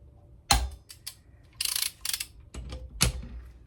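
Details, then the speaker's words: Homemade Sunbeam Alpine cylinder head bolt tightening tool (a copy of the Churchill RG225), tested on a bolt clamped in a vise with a torque wrench set to 60 ft-lb. Two crisp clicks as the wrench releases cleanly, and the tool shows no bending: it is strong enough. "when I can hear the torque wrench clicking at 60 ft-lb without any bending or defamation in the tool I know that it's strong enough and I've got everything correct"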